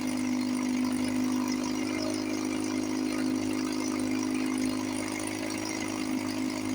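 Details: 1954 Johnson 5.5HP two-stroke outboard, barn find revived after about 60 years with carburetor and cylinder head work, cover on, fuel bulb hand-pumped, water pump pumping nice. Steady, even buzz with constant pitch, no misses or knocks: normal running.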